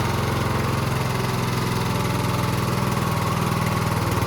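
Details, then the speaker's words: Husqvarna YTH20K46 with a replacement 20 hp Kohler Courage SV600 engine, test run with air filter off and a little fuel: even, rapid thumping idle with a steady beat and no misses or knocks; settles straight into a healthy idle, carburetor working well. "Glad we finally got this thing running again. I'm going to do some more videos on this thing while I fix it up. And uh not sure yet if I'm going to keep it or sell it, but uh you can hear she's running pretty good."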